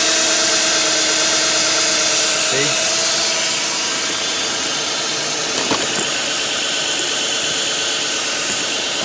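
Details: 2007 Nissan Quest 3.5, code P0300 random misfire traced to a bad ignition coil: steady, even idle with smooth hum and no stumble or skipped beats; engine running cleanly on all cylinders.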